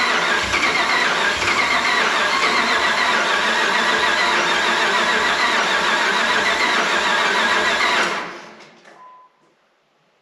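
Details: 2005 Dodge Ram 1500 4x4 with a swapped donor Hemi V8 and new fuel pump: steady cranking about four beats a second for eight seconds, never catches; suspected stale, bad-smelling gas, only 5 gallons fresh added, fuel line clearance unchecked.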